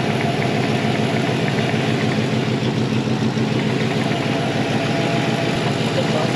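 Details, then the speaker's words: 1960 Chevrolet Apache shop truck after emergency transmission swap for unplaced noises from the cab: steady even idle, constant low rumble, no knocks or whines; the earlier funny noise is gone and it runs normally. "and away he goes it's it's it's running once again yay"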